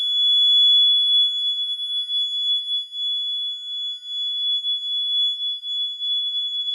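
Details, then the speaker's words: Gentex GX90 horn strobe, made November 28, 2000, with fixed 1575 candela strobe, battery powered: steady, unbroken high-pitched beep with no temporal pattern; normal continuous-tone operation. "It's kind of like a smoke alarm, but just a continuous beep instead of the normal code 3 you hear with smoke alarms in your house."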